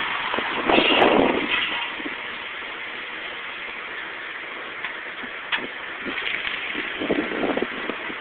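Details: 2000 Nissan Maxima, soon after a tire replacement: harsh scraping hiss from a wheel, louder in bursts during left turns; a bent brake pad was grinding on the thin dust shield, and bending it back fixed it.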